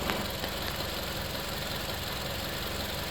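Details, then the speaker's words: 2013 Toyota Camry four-cylinder on 5W-30 instead of 0W-20, no leaks or oil consumption: steady even idle hum with no knocks, misses or rhythm changes; smooth, healthy idle. "The motor's running. And this is a 2013 Camry. '13, she's still clean. She's idling smooth."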